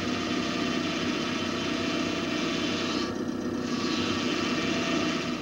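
A steady, rough, rasping growl from the power steering pump, caused by the fluid level being far too low.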